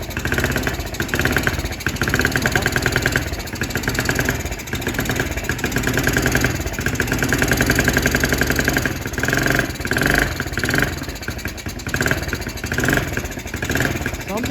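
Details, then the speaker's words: Kids' Chinese ATV at first start on the old carburetor: the small single runs rough and uneven, revs hunting and surging, while the carb drips fuel badly and the engine is shut off. "something's up with that car but let's go $70 for this that car was Dripping dripping really bad I got to shut this I got to shut this off that car was Dripping real bad"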